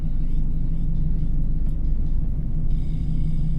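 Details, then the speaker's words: 2008 Chevrolet Silverado 2500HD 6.6L diesel 4x4, 300,000 miles, 60-70 mph vibration complaint, on road test: steady low droning hum under road rumble that persists while slowing; suspected tire noise from unevenly worn tires, not confirmed. "just as you go slower and slower you still hear it if you listen that's one of the characteristics of a tire noise versus a wheelbarrow noise"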